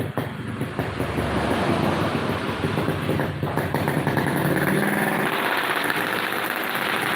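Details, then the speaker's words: Engine after a workshop repair of a "ngok" noise on snap throttle; it revs cleanly and climbs smoothly with the throttle, no knock or clunk on the snap, just street noise around it, and the ngok is gone. "Suaranya denger men, udah nggak ada ngoknya."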